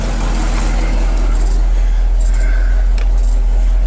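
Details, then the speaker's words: 1959 Chevy Viking 60 drag-racing car hauler, first run of the day: steady, even V8 idle with a smooth low rumble and no knocks or misses, good oil pressure; engine running healthy. "Wow. Sounds pretty good, Joel. There you go. Wow. That sounds real nice."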